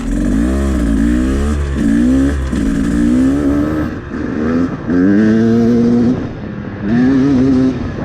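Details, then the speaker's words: 2024 Beta 250RR Racing edition two-stroke with a Lectron 38 mm carburetor, during metering-rod tuning: revved in repeated bursts, blubbery and uneven sputter when held open; still running too rich on the top end. "Still too rich on the top end."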